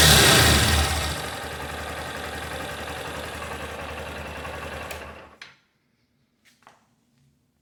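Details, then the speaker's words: 2021 Honda CG Start 160 single cylinder: runs even and smooth with no knock or tap before shutting off, quieter than a 125; also reported no knocking cold, after four days parked, or fully hot. "barulho funcionando redondinho não bate nada tudo direitinho tá até mais silenciosa do que a 125 que eu tinha"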